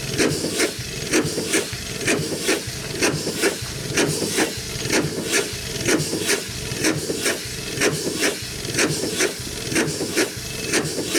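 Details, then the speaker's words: Over-100-year-old Chicago Pneumatic steam engine/air compressor on its first run in decades after long outdoor storage, compressor head off. Slow, even chuffing about once a second with a sharp hiss each stroke. It runs well, but steam leaks from the packings, which need replacing or adjusting; rods are unpitted. "okay folks running good welfare I guess it's uh good as we could ask for except as long as it did gonna need some packings and uh probably just some package adjusted and stuff too"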